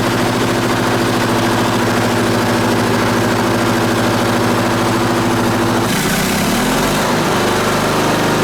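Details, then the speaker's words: Onan BF 16hp engine with DD11 carburetor, after pulse fuel pump work, choke on: steady rapid clatter over the idle with even beats, note changing as speed drops; something hitting, cause unknown, no fuel leaks. "H didn't interesting what's that all about can't have that noise that thing clatters what is going on"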